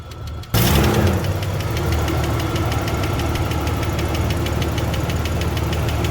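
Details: 1993 Ford Falcon Fairmont Ghia sedan, first start after sitting many years once the battery ground was fixed: engine catches and settles into idle with a light, quick, even tapping on top, source not pinned down.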